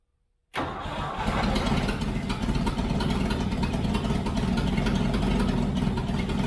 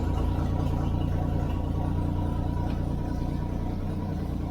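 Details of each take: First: Toyota FJ40 Land Cruiser first start after purchase, throttle stuck, no choke, no oil pressure shown on gauge: catches at once and settles to a loud, raspy, uneven rumble with popping; big hole in the exhaust. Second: Toyota FJ40 Land Cruiser six-cylinder, oil pressure confirmed on gauge: even low idle loping steadily around three beats a second, no knocks or misses; normal idle.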